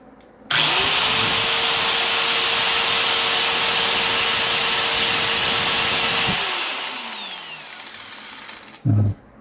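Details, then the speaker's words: Repaired electric grinder after the armature resistance and body ground checked okay. Steady high whine with no rattle or grinding, then a smooth spin-down; runs normally with no wobble. "Ayan guys, gumana naman siya, wala siyang wiggle. Yung ingay na normal na lang yun."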